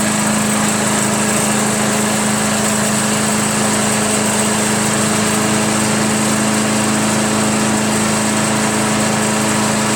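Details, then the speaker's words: Craftsman/Yard Machines chipper shredder flathead single-cylinder, after head removal, carbon cleaning and sandpaper valve seat lapping (intake valve spun freely): after many pulls, steady even buzz at fast idle, no misses or surging. Normal idle. "look at that look at it idle crazy right"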